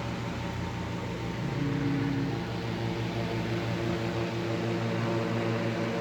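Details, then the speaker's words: 1940s desk fan with original paint, known to vibrate from a bent blade: steady motor hum with a low rhythmic throb about three times a second; the blade is shaking the cage. "some of it it is vibrating which is not to be unexpected i already knew it vibrated"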